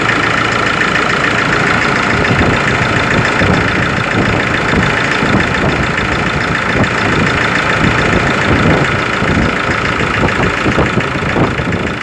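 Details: Ford Ranger 3.0 Limited diesel, cold engine at idle: rough, irregular knocking clatter, a couple of knocks a second over the engine note; mechanic and pump specialist could not find the cause, selling shop could not fix it.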